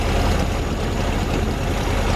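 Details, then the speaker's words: Air-cooled VW Bus engine first start, fuel leaking at the fuel pump: deep, even low rumble holding steady with no misses, knocks or hunting; normal idle. "But yeah, look at it. It's just sitting there idling."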